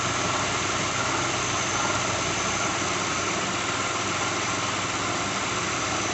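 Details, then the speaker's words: 2006 Lincoln Town Car V8 just started cold: a busy, uneven metallic rattle over the idle from a failing harmonic balancer; plugs, coils, pulleys, alternator, belt and cam sensor changed without effect. "I'll start doing it after it warms up a little bit. You can hear it rattling right now."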